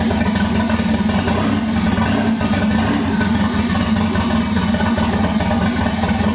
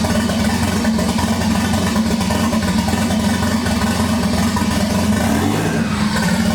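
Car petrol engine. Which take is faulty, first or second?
first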